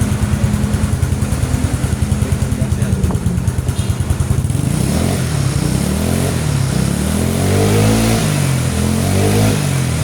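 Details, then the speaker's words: Mio/Vario-type carbureted scooter single-cylinder, previously bogging and hard to start, after carburetor vacuum needle fix: fast idle and throttle blips rise cleanly without stumbling; normal revving. "Ini udah enak ya, ditariknya udah pas lah istilahnya ya."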